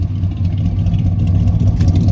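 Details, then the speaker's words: 1972 Chevy C10 with a 350 engine, running for the first time in years after fueling, revved through its dual exhaust: a deep, even V8 rumble with no knocks, misses or rattles; a little smoke, possibly slightly sticky rings, not too bad. "Hear those duals? Yeah. That sounds nice. Smoke? A little bit. There might be a little bit of sticky rings, but it's not too bad."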